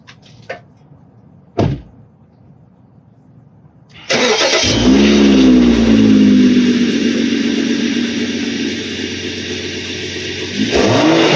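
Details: 2013 BMW X5 35i (N55 engine) after an air filter replacement: a few light clicks, then start-up into a strong, even run with no knocks or whine. It sounds healthy.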